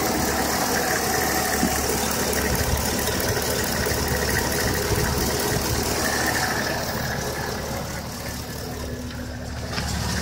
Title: Lifter tick?